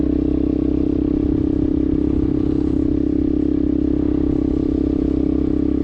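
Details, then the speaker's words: 2000 Yamaha Warrior 350 single-cylinder ATV, scrapyard revival with new carburetor and ignition modules, riding in second gear; loud raw rapid even bark because the muffler has no packing. "dude it it sounds great like there's no there's no packing in that muffler whatsoever it's very loud isn't it yes"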